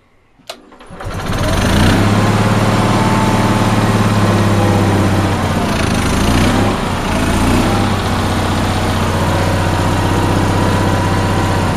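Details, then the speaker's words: Onan engine after relocating fuel pump to a head bolt and new fuel line: starts at once, then runs rough with uneven beat of three or four a second and dips; owner suspects insufficient fuel, no gas leak. "So I moved that and ran some new fuel line, but it's not running correctly right now. I think it's not getting enough fuel right now."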